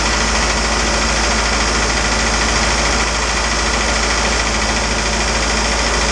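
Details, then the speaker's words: Isuzu 4BD2T turbo diesel at initial startup in a build, after priming and fixing oil leaks: a steady idle clatter with an even rhythm and turbo hiss, no misfire. It is idling normally. "man it feels good to hear this thing running finally"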